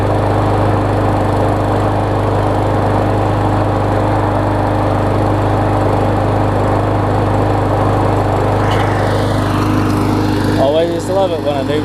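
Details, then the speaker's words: Murray mower with a 21-inch blade after a replacement engine swapped onto its deck (original shaft sheared) starts on the first pull: a steady, even single-cylinder drone at constant speed with no misses or knocks; normal running. "starts on the first pole you know once I clean it up it's gonna look like it's almost brand new"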